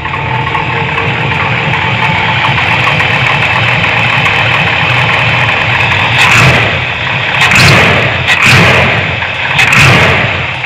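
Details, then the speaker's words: 454 big-block Chevy dually, Edelbrock 1411 750cfm carb with the spacer removed and idle screw raised: steady idle with a few light blips and no vacuum-leak hiss; it idles cleanly and the leak is cured. "little belcher i power wash the engine bay today along with the truck itself but uh it's idling awesome right now no hissing definitely was a vacuum leak there"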